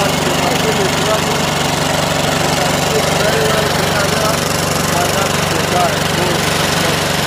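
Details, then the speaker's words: Engine after starter motor rebuild: catches and settles into a steady, even drone with no knocks, misses or grinding; repair successful, running right. "then now let's start it and you see yeah pretty cool so the guy gives a positive results after all that struggles"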